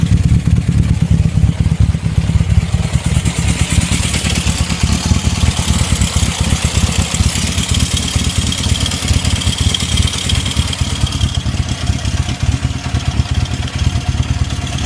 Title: 1972 Honda CB750 K2 engine knocking